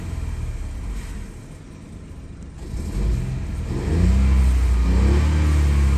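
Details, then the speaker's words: 2017 Ford Focus 1.0L three-cylinder turbo, 6-speed manual, slow to reach temperature: smooth rising rumble when revved, faint tiny-turbo spool and blow-off audible, quiet as expected; normal turbo spool. "I do hear the little turbo spooling up. It's just not very loud. It's a tiny turbo, so what would you expect? Yeah, I can hear it. You can hear the blow off as well, whatever you want to call it."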